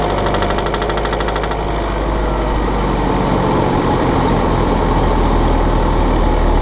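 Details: BMW F11/F10 520d 2013, N47 diesel: hard, fast rattling tick of about three per second, when cold and under load at 1500 rpm; a faulty injector, pinpointed by ISTA test.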